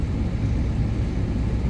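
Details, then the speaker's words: Trane package unit indoor blower running steadily after power-cycling the control board (possibly lightning-affected), no thumping or on-off cycling as the customer had reported. "so now the indoor blower motor is running like it should be the light is solid huh that's very interesting"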